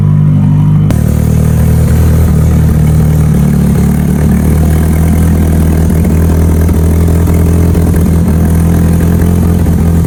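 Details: Mitsubishi Evo turbo build for dyno prep after home upgrades, already driven: steady even low rumble at idle, no knocks, misses or whine; fires up good, sounds healthy before boost leak test.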